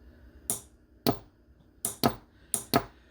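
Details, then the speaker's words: Starter solenoid from a 1995 Yamaha WaveVenture that was mostly underwater, bench-tested wired straight to a battery: sharp single clicks, irregularly spaced, as the switch is turned on. The solenoid pulls in and works. "now when I turn this switch on you should hear an audible click and you'll actually possibly see that move and that means that that switch is working correctly"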